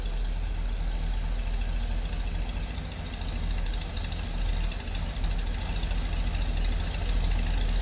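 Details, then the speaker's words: 1941 Chevrolet pickup, 235 cu in inline six with 3-speed manual, shortly after a cold start with temp gauge still cold: low, steady inline-six burble with an even, unhurried beat and no knocking; normal idle. "Sounds good. Just the sound you'd expect to go along with this truck. That classic inline a six-cylinder sound."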